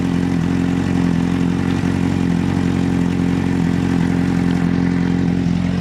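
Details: 2006 Honda CBR600RR first start after checks: loud, steady four-cylinder burble at idle with an even beat and no knocks or rattles; the engine sounds healthy.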